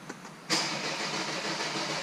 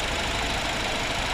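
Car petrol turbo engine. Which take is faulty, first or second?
first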